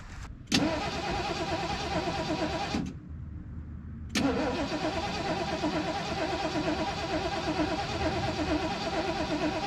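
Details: 1973 Mercury Grand Marquis, 429 Ford V8, C6, 55k original miles, long-sitting, fuel poured in carb float bowls for first fire attempt: two spells of steady rhythmic cranking, never catches; cranks without starting.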